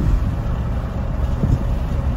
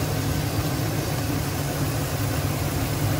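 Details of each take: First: 2010 Silverado 2500 6.0L, misfiring after towing, running badly at idle; low lumpy uneven stumbling pulses, caused by damaged ignition coil wiring. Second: 2010 Silverado 2500, 6.0L V8, after repairing a chafed wire in the engine harness that likely powers a coil bank. Steady, smooth idle on all eight cylinders with no skip during the wiggle test: normal idle.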